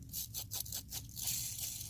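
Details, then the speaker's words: 2015+ Subaru WRX (FA20DIT) old clutch release bearing spun by hand off the car during a clutch change: gritty, rasping scrape in repeated bursts each turn; worn throwout bearing, the new one is silent. "So I'm going to go ahead and pull off this old bearing, which is obviously disgusting."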